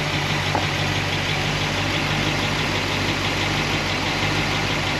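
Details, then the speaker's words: Warm idle, thermostat open, solid roller lifter engine after valve lash set and pushrod guide plates repositioned: even idle with faint light tick, former problem side now quiet, slight leftover noise on passenger side; valve train noise fixed by guide plates. "You know, this used to be the problem side here, so we got some little bit of noise over on the passenger side. Drive it around a little bit, but for me, this seems like this is a win. This is a fix."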